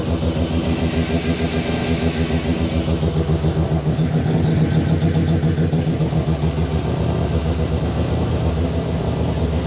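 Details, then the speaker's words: New Mazda 13B bridgeport rotary just after its first start, cooling system being bled and temperature watched: low, brappy idle pulsing evenly about three or four times a second, steady and healthy. "yeah we're just keeping an eye on the temperature we need to bleed the system um and yeah we'll go from there sounds so good"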